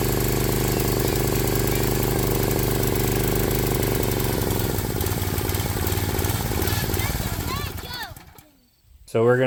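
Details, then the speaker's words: Swisher 22-ton log splitter with a Briggs & Stratton 7 hp Intech single-cylinder engine, before carburetor cleaning: the idle hunts, drifting up then sagging before dying away, a surging idle; the air filter is dirty. "If you saw our splitting video a while back, the engine didn't idle smooth. It hunted, and the RPMs went up and down."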